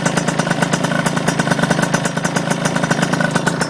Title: RS 80cc exhaust leak